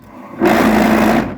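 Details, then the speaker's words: Lybid washing machine: a brief harsh buzzing rattle as the agitator spins; the worn bushing gives visible play, so it wobbles and chatters with a burnt-plastic smell from friction. The fix is replacing the bushing or the whole agitator. "Чтобы успеть выключить когда будет тарахтеть болтается активатор Видите какой у него люфт"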